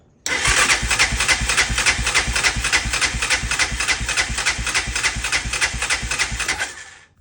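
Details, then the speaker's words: 1999 Honda Foreman 450S with oil added to the cylinder, tank cleaned and refilled, spark plug in, full choke: steady starter cranking about three and a half beats a second for six seconds, no firing; weak battery. "Still nothing. Try again. Sound like it wants you for a moment. Oh, the damn [clears throat] battery."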